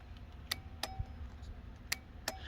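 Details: Triumph Street Triple with newly installed Hella twin-horn relay, key on, horn hot wire disconnected: four crisp, sharp clicks at irregular intervals as the relay pulls in with each horn button press, horns silent; normal relay operation.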